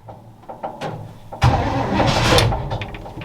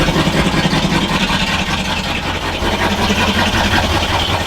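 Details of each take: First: 1962 all-original Chevy C20 3/4-ton pickup, automatic, after long storage, choke fully on: uneven cranking with a few weak pops, then it catches, flares and runs rough; hard start. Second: 1962 Chevy C20 3/4-ton pickup, all original, automatic with factory AC, about sixty years old, started on full choke: engine catches and settles into a steady, slightly uneven run, about two and a half beats a second; running normally now.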